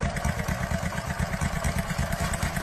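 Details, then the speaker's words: Motorcycle engine running with a dull, rapid knock in time with firing, attributed to weakened piston rings or worn ring grooves on the piston. "اگر رینگ ضعیف شده باشه یا جای رینگ روی پیستون گشاد شده باشه این"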